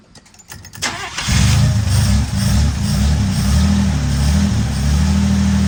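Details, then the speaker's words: Barn-find antique car, first start after 33 years sitting: short crank, catches at once, smooth steady idle, no knocks or misfires, 50 lb oil pressure; fuel pump line leaking, heater core bad. "Not bad, huh? It does have a 50 lb oil pressure and it sounds good."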